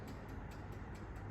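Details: Hobart mixer on speed 1 with the mixing-minutes timer dial set: light, even clockwork ticks at about four or five a second over a low hum. The timer is running down normally.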